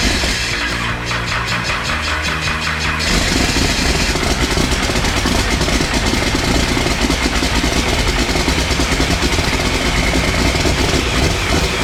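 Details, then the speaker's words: Cummins 6BT for a Nissan GU Patrol build, first start after priming the oil pump: catches about three seconds in, settles to loud steady diesel clatter at idle with smoke; starts and runs healthy. "there you have it guys i'll put on a bit of a smoke show here the engine runs it's all good"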